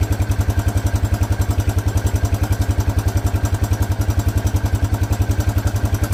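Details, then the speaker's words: Honda Big Red four-wheeler, possibly 1984, from a farm barn, after new coil and fuel line: single cylinder thumping evenly about three and a half beats a second, steady smooth healthy idle. "She purrs like a kitten. I mean, he told me this thing has always ran really good."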